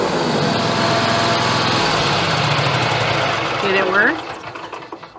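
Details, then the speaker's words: Scag Tiger Cat mower after the deck belt was changed: brief initial squeal at start-up only, then steady, even running with no ongoing belt squeal. "It's just got that little initial squeal when you first start it, and that's it. But it's not squealing like it was, so that was the belt."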